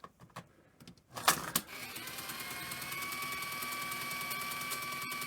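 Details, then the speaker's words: Sony EV-S700 Video8 deck (c.1988, well used): in playback the capstan runs flat out like fast forward with pinch roller engaged; a few mechanism clicks then a thin steady high whine. Rewind works; owner suspects a servo issue, unconfirmed. "I mean I expect that to be noisy but it's just like the cab says running full speed all the time I mean I probably have a Servo issue"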